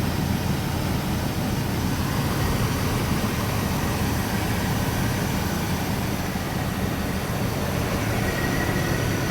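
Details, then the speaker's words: Vortec V8 truck after upgrading central port spider injection to multi-port: a steady, even low rumble with no misses or stumbles as it settles into a smooth, healthy idle. "Now, it might feel a little funny when it first starts up, getting some of that last air out, stuff like that, especially if you sprayed some brake clean in there. It's going to maybe make it, you know, sputter a little bit, but it should clear right up."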